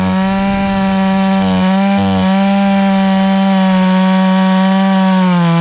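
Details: Hyundai 650 chainsaw that ran then stalled, tested cutting wood after easy repair for fuel starvation: strong steady high-revving buzz with quick dips under the cut, keeps pulling without stalling. Normal running after repair.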